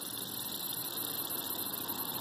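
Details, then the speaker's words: Fuel injector off the engine, pressurized with carb cleaner through a tire-valve cap: a steady thin high hiss as pressure bleeds past the closed injector. It leaks, likely something blocking the valve; bad injector. "a leaking fuel injector and that basically means that there's something blocking the solenoid or the valve and that's a bad injector"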